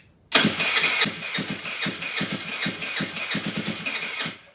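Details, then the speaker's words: GY6 139QMB Honda Ruckus clone freshly rebuilt with a 100cc big bore kit, long unused: the starter whirs in a quick pulsing rhythm without catching. It won't fire yet because the carburetor bowl is still filling with fuel. "turn it over quite a bit and then once that bowl fills up hopefully it'll run okay"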